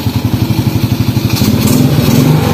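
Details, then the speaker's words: Honda Supra X automatic clutch check. With the shift pedal held in first gear, the throttle is opened and the bike stays still. A steady single-cylinder putter picks up smoothly with no clunk or jolt. The clutch is working normally. "gas-gas dia masih Diam berarti koplingnya sudah berfungsi seperti itu ya"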